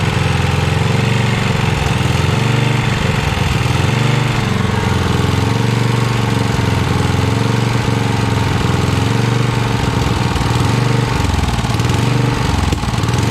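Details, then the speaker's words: 1982 Snapper Comet riding mower, electric-start 30-inch cut, 8HP Tecumseh single-cylinder, choked: loud steady high-speed running with slight hunting beat, won't settle lower; runs only at full throttle, carb still needs tuning. "I guess I'm gonna tweak a little more, try to get the tuning better than that, because it seems like it only wants to run at full throttle."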